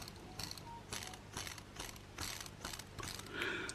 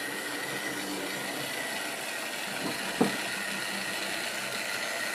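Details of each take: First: Wrenn West Country class Lyme Regis model locomotive motor, not run since the 1980s, brushes removed: light rough whir with rattly pulses about twice a second; suspected bearing issue. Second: Wrenn West Country class model loco Lyme Regis, not run since the 80s, after joints greased and reassembly: faint, even motor whir and light hum with one brief click, no grinding; runs healthy.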